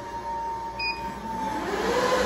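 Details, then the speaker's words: Supermicro quad GPU compute server power supply at first power-up: steady piercing high-pitched squeal over fan rush, a second tone climbing as the fan spins up; failing power-supply fan. "i don't know how well you can hear it on camera but there's a deafening high-pitched squeal coming from that fan uh that's really annoying i'm gonna have to talk to the seller about that maybe i'll get a new one"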